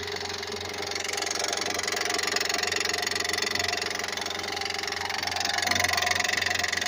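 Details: 2007 Honda Odyssey 3.5 V6 at idle with 281 thousand miles: a steady rapid metallic ticking knock from a failing timing belt tensioner, easily mistaken for internal engine failure.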